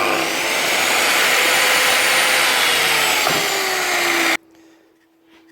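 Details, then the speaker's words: Bosch GMC800 mitre saw that would not start, repaired by replacing the broken right-angle brass connectors between field and brush holder; strong even motor roar and steady high whine holding speed, then a clean stop, normal motor run. "that's her one B saw up and running again"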